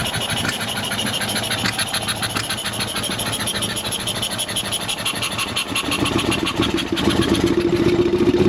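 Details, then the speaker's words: Ural sidecar boxer twin starting after its throttle bodies and connectors were cleaned: a rapid, uneven clatter over the exhaust that grows louder with revs. The owner suspects an electrical fault from an earlier battery short and plans to test the crankshaft position sensor. "Open. Oh oh, drôle de bruit. Pour moi, c'est pas un problème moteur, donc c'est un problème électrique qui viendrait de mon court-circuit de la batterie."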